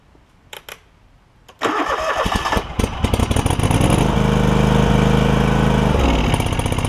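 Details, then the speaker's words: John Deere LX188 lawn tractor with new aftermarket carburetor: engine catches after cranking and runs uneven and wavering, sagging near the end, while fuel drips from the carb bottom; rough running, suspected stuck needle and seat or float. "flooding out really bad actually you see it dripping down there in the bottom interesting"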